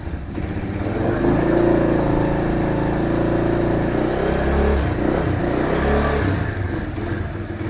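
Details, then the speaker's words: Kawasaki KL 250 single, first kick-start after top-end rebuild on a cool day: fires and settles into a quick even putter, revs up and drops back cleanly; starts easily with the extra compression, rings still to seat, sounds good. "See how easy it is to start now. I think with the extra compression, it's going to be a lot better. The engine sounds good."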